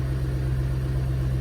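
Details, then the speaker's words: 2008 Mustang V8, first start on the final tune revision, warming up with good AFR and fuel trims: steady, even low rumble with no knocks, misses, fueling or detonation issues; smooth, healthy idle. "exhaust sounds good i don't hear any fueling issue or detonation issue so that's plus one and prep for tomorrow"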